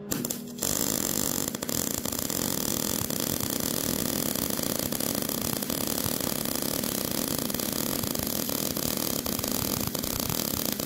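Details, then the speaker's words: Old Miller MIG welder, voltage unchanged, 20 cfh gas, wire feed at setting 60: harsh crackling arc with frequent sharp pops, spit and sputter, because the wire feed speed is too slow. "bacon all right you can hear the spit and sputter and starting to come up on the twep so that's 60"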